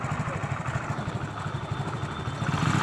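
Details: TVS XL 100 moped with an engine noise earlier repairs had not fixed, now repaired: small engine putters evenly at about four beats a second with no knock or rattle; earlier noise gone.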